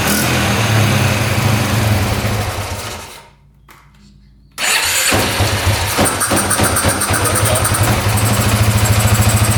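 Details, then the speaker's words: 2010 Polaris Sportsman 550 EFI ATV, airbox off: engine quiet, then catches only with slight throttle and settles into fast, slightly uneven putter; hard starting, missing airbox suspected of upsetting mixture. "Watch. It only fires up when you push the throttle a very small amount."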